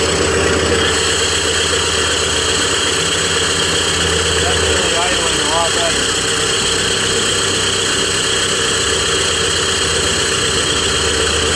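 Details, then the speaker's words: Cat D3K2 dozer diesel (complaint: rough running, power loss, white smoke) run with exhaust disconnected after the turbo: steady, even idle with no misses or hunting; DPF at 86% soot load suspected plugged, unconfirmed; normal running. "So I'm going to say the DPF is plugged, or something is choking out the exhaust after the turbo. Unless it's coincidental that the machine just wanted to run fine for me at this point."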